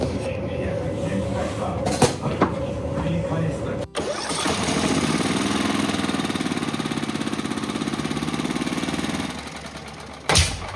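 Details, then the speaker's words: Used Wood-Mizer sawmill engine after main jet replacement: cranks and catches, revs rise and fall unevenly and it stalls, leaner when revved; owner suspects lean fuel, later suspects bad ignition coil, not confirmed. "The condition is still the same... damn Is this sound and stopping a symptom of thin fuel? It gets thinner when I try to rev it up..."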